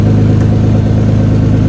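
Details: Toyota Cressida MX83, just started after engine reinstall, warming up, exhaust not fully plumbed in: loud, even idle, steady low pulse, no misses or knocks, open-exhaust puffing; oil pressure and coolant good.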